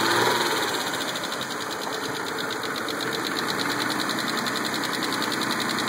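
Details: Mitsubishi 3000GT, started with a jumper box: light fast metallic ticking about three or four per second over quiet idle; owner suspects lifter tick, unconfirmed; ticking at idle.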